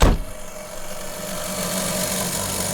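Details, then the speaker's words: Cheap first car (under £700) with the key at position 2: steady whirring rush with a dull drone underneath from the dash vent; the heater blower fan is noisy, compared to a dusty old PS3. "Turn my key to 2. That's what my heater sounds like. Fucking hell. Yeah, it's coming from that vent, look."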